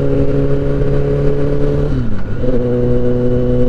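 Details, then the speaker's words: 2023 Kawasaki ZX-10R, repaired after an accident, on its first road test: steady engine drone that dips and climbs with revs, booming resonance just under 4000 rpm, clearing at other revs; cause unknown. "là elle fait du bruit à ce à ce régime là là on est juste en dessous de 4000 on a l'impression que ça raisonne un petit peu"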